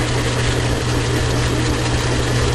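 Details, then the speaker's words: Logan lathe with new change-gear idler bushing taking a 0.020 in diameter cut near machine maximum at coarse feed: steady even low hum, motor pulling down slightly, no knocks or grinding; gears running smooth. "It's right about max in this machine, and I can hear the motor pulling down a little. But it's running very smooth. The gears are very smooth."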